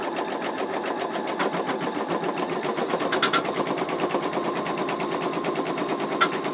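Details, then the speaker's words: Embroidery machine stitching the placement stitch of an in-the-hoop wallet design: steady, even needle chatter at constant rate with no knocks or grinding, stitching normally. "so we're going to just do our placement Stitch first"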